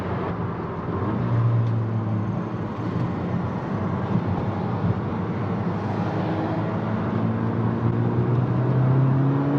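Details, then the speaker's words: MK6 VW GTI accelerating after the failed turbo was replaced: the engine note climbs smoothly over road noise with no wastegate rattle or flutter; the car is very quiet and the turbo feels good. "But this car is way too quiet. The wife says it's too quiet. I agree with her. Anyway, the turbo's feeling really good now."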